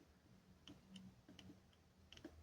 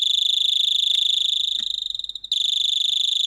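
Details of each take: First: Doorbell buzzer on a chime meant for 12 V transformers, board damaged after 220 V was applied: a few sharp irregular clicks with no tone; buzzer clicks but won't sound, fault likely in the driver circuit. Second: Repaired 12 V doorbell board, earlier blown by 220 V: clean high electronic chime with a steady even rhythm, no dropouts or distortion, as timing capacitors (10 µF fitted) on the transistor are tested; circuit working normally.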